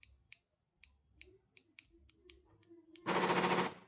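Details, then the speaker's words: 2008 Honda CR-V: a few light clicks, then a loud rapid machine-gun rattle from the door lock when the alarm remote unlocks it, a failing lock actuator. "A CRV 2008 aí, ó. Fazendo barulho na trava da porta. Na hora de acionar o alarme aqui na hora que ela destrava."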